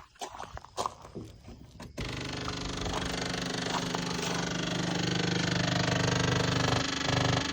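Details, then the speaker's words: 1984 Jeep Wagoneer electric fuel pump switched on with fuel line off and tank apparently empty (gauge reads empty): steady buzzing hum with fast rattling pulse, moving only air; pump running dry. "I mean yeah definitely it's it's moving air anyway I don't want to burn that pump up if we're going to use it"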